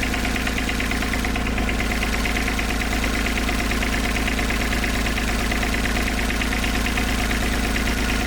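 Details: IHI 28J mini excavator, Isuzu 3LB1 three-cylinder diesel, after injector line reinstalled loose to bleed air: uneven lumpy idle about two pulses a second, one cylinder dead from air in its injector line; picks up once bled and tightened.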